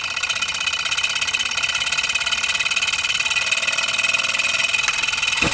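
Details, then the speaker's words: Single-cylinder Stirling engine generator kit after about half an hour of running: light, rapid ticking with a thin high squeak on every stroke; silicone lubricant suggested to remove the squeaks. "you can hear there is squeaking so there is room for improvement when you get yours and i think you could try to optimize it because if you hear there are squeaks and those squeaks do go and you put some silicone lubricant i"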